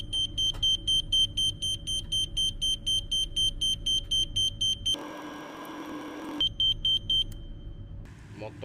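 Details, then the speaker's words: Detector tested outdoors for a camper van, held directly at a gas stove burner: shrill high beeps about four per second, steady and insistent, as it alarms on gas; it did not detect leaked gas filling the van from farther away. "gas alarm will ring it is used directly on gas stove will be ringing"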